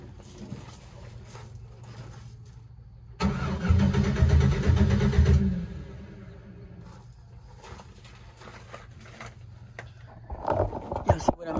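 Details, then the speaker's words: 2007 Chevrolet Silverado with no fuel pump noise at key-on: about two seconds of steady cranking that never fires. The fuel pump has failed and is due to be replaced. "it sounds like it wants to cut on but i don't want to cut on"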